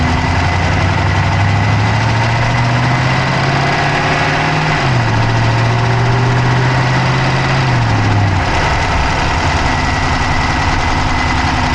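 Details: Dodge Charger Hemi V8 at idle, recorded inside the passenger-side engine bay: a steady idle with a fast, light, even and unchanging ticking riding over it; a ticking noise of undetermined origin.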